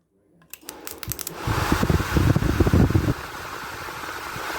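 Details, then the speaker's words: 1980 Chevy 4x4 truck blower motor run in reverse after second WD40 lube: brief clattery rumble then smooth steady whir moving lots of air; blower running normally. "that's running a lot better that's moving a lot of air so I'm letting the uh WD40 kind of drip down to that front shaft that's why I'm turning it that way"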